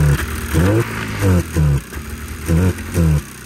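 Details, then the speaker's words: 1987 Arctic Cat Cougar 500 snowmobile (Suzuki two-stroke engine), long sitting, possible water in fuel, run from an auxiliary tank: short revving bursts rising and falling, each catching cleanly between quieter idle gaps; it starts, runs, drives and reverses, with other issues remaining. "well the old girl does run and drive and reverse even works she's definitely got some other issues"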